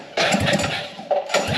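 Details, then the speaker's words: Scratch-built full-suspension mini bike, first start after sitting about 7 months since its last race, before new exhaust and tires: small single catches and settles into a steady, moderate thrum with slight surge, not too loud; carb leaking fuel, floats suspected faulty; runs fine. "carb is leaking fuel floats definitely having issues so that's fine it runs it sounds good it's not too loud"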